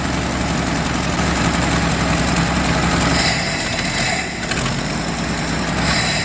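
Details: 1977 Ford F350 dually tow truck, long-sitting estate-sale find, warmed up with exhaust and oil leaks burning off: steady low rumble at an even idle, no misses or knocks; the owner suspects a bad accelerator pump or clogged jets for its acceleration stumble.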